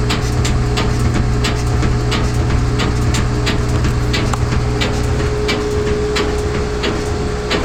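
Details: GE front-load washer on spin cycle with medium or large loads: heavy, uneven thuds about every two-thirds of a second over the spin hum; something inside is hitting the cabinet, cause unknown.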